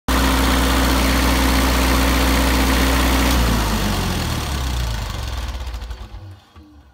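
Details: Kubota V2003T turbo diesel, hot after running 15 minutes under a 17 kW load: a steady turbo whine over the even diesel run, which cuts as the engine winds down at shutdown.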